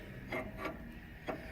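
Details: 5100 seed drill drive clutch, disengaged but creeping back up on its own. Irregular sharp clicks, three or four in under two seconds, like a pawl catching: drive clutch ratcheting.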